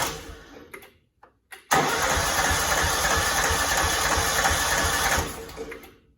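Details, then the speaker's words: Cub Cadet 2166 mower, 16hp horizontal Kohler Command single-cylinder engine, brake switch activator temporarily fixed, choke on: starter cranks steadily about 3.5 seconds but never catches; owner suspects the fuel pump needs priming. Crank, no start. "Might need to prime this pump a little bit. Not sure."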